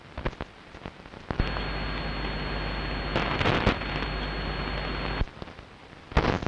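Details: Long-wave radio reception recorded at 01:34 UTC on 6 June 2012, with the DSL modem and router off and the source not in the home. A steady rough crackle with a faint high whistle starts abruptly and cuts off after about four seconds. Interference of unknown cause.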